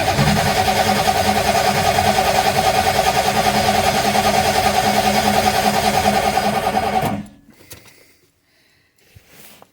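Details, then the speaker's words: Ford 351 Windsor rock crawler truck with Holley EFI, fuel pumps disconnected so it won't fire: starter spins the V8 with even chug about 2.5 per second, no odd clunks. Cranking healthy. "Sounded pretty good to me. I ain't hear anything crazy. Constant rhythm, cranking rhythm, whatever you want to call it."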